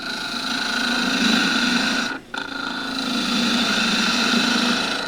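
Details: Turning a tool handle for a ¾" tang scraper from old table-leg wood on a lathe with a 1" skew chisel: smooth even hiss of the cut with a short break partway; clean cut with sharp tool.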